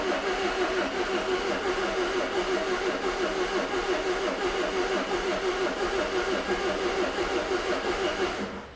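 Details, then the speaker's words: 2002 Renault Master 2.2 dCi van with intermittent crank no start, after new genuine fuel parts and priming out air bubbles, air box off: starter churns about three cranks a second for several seconds, never fires; crank no start. "Oh, doesn't start. Well, that I was not expecting."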